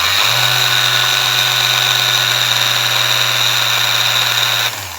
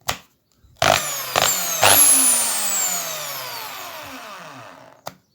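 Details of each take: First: Small Ryobi sander running: high steady motor whine with hissing buzz, then winding down; it intermittently loses speed drastically. Bearing and armature look very dirty and need cleaning. Cause suspected, not confirmed. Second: Bosch drill after cleaning, several short trigger pulls: motor whirs up to a high, even pitch and coasts down smoothly with no grinding; owner thinks it was just dirty; runs normally.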